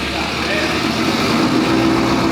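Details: 2019 Roush Stage 3 Mustang, first start after blown engine rebuild, with aggressive cams: loud, slightly choppy idle holding steady by itself without throttle; normal idle.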